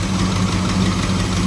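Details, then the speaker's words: 1985 Chevrolet Camaro IROC-Z with a 305 V8, just jump-started cold: lumpy idle with a quick steady tick in time with firing; owner suspects exhaust manifold gaskets, and possibly a new alternator or battery. "Ooh, she cold. Come on, girl. As you can hear, I probably need some manifold gaskets and maybe a possibly new alternator or battery."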